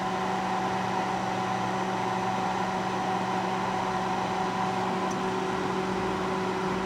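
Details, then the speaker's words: Panasonic inverter microwave, an old first-generation inverter unit: powers up with a steady low hum and mid-pitched whine but no magnetron buzz, and it is not heating. Converter seems active; the magnetron filament is to be checked. "seems to be doing something but I'm not hearing the uh sound of the magnetron coming on so something appears to be"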